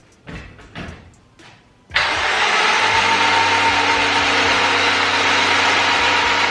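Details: Honda Civic Type R EP3 four-cylinder, sat on a farm over a year: steady even starter cranking at about four pulses a second, no uneven beats; compression sounds healthy on every cylinder. Normal cranking.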